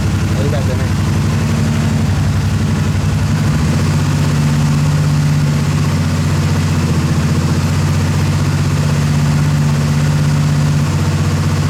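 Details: Motorcycle, after repair of a starter solenoid that clicked without cranking: an even, steady idle with a firm low beat of about four pulses a second and no misses or clatter; the engine is healthy.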